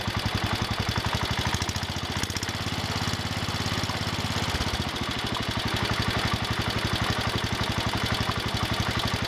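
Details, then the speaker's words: John Deere 110 garden tractor single-cylinder engine idling steadily after rod knock repair: light lifter tick and belt rattle, no rod knock heard. "okay that sounds better now I hear the lifters ticking and some other stuff rattling sounds like the belts flopping around some but I don't hear a rod knock"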